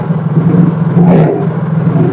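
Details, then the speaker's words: Mio J scooter, hard-starting complaint, charging test with battery positive disconnected: smooth low idle with quick throttle blips rising and settling without faltering; engine keeps running, so charging is normal. "kalau memang pengisian normal maka mesin tetap menyala kalau pengisian tidak normal maka saat dilepas kabel positifnya mesin langsung mati Oke kita Nyalakan mesin kemudian sambil kita gas-gas seperti ini"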